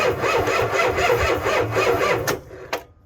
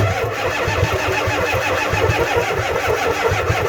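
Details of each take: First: Ford F350 7.3 IDI diesel cranked on one small battery, other battery missing: even rhythmic cranking about two beats a second for two seconds, starter turns engine over normally. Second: Ford F350 7.3 IDI diesel at about 15°F, cold, charger on booster, some glow plugs suspected dead: two long sluggish cranking bursts at about four compression beats a second, never catches; batteries too weak.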